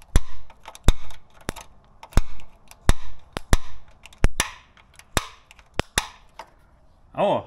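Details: Fiat 126 barn find that sat for years: sharp uneven pops about once a second with gaps, engine tries to catch but won't run.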